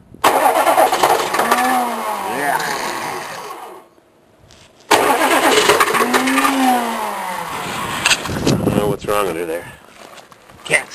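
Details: Cold diesel K3500 with a 4L80E, sat six months, freshly hooked-up batteries: two long cranking spells at about three turns a second, never catching. The starter is suspected, with clicking before it wants to start. Crank, no start, unconfirmed.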